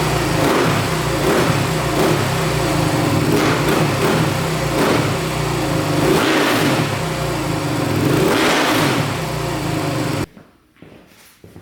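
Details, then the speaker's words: 2008 Suzuki RM-Z450 single-cylinder dirt bike after setting the throttle position sensor to 6 volts: revs rise and fall cleanly about every second, with no popping or backfiring; throttle response now smooth. "that sounds pretty darn good. So, setting that throttle position sensor to 6 volts really helped a ton. It's really smoothed up the throttle response."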